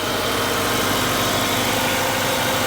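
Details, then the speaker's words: 2016 Kia Optima Hybrid, freshly installed replacement engine after a thrown rod and fire, just started: smooth, even idle with a steady hum and airy top end, no knocks or ticks. "There it goes. She's running pretty smooth. So,"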